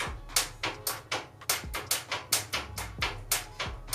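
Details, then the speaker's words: 1980 Honda CB750 engine just freed from being seized after long storage, starter solenoid tripped directly: sharp, regular clacking three or four times a second with no engine turning; the starter engages but can't crank the engine, cause unconfirmed. "So I can kind of hear the starter and it sounds like it's not able to turn over this engine."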